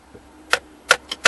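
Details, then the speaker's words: 2004 Mazda 3 whose shifter won't come out of park: tapping the lowered passenger-side junction box gives sharp, dry clicks, about three or four a second, and the shift lock then works. The relay inside is faulty; the junction box assembly needs replacing. "hear the relay click and now it's and now it's working again so that tells me that the relay inside this box is no good"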